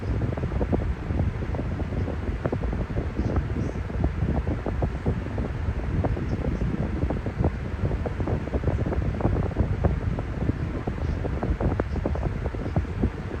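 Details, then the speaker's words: Discontinued Air King (ex-Lasco Whirlwind) fan: low airy rush swelling and fading unevenly over the hum, airflow somewhat restricted though still moving much air; wasn't like that when new, owner unsure why, maybe from sitting out in the cold. "Even though this thing is air restricted somewhat, I'm surprised that it's still moving that much air, even though it's air restricted by a little."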